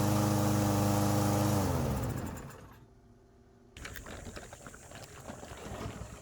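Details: Troy-Bilt TB110 mower with a Briggs & Stratton engine that sat for months and then stopped working: the engine holds a steady, even beat for a couple of seconds, then winds down smoothly when shut off. It runs fine.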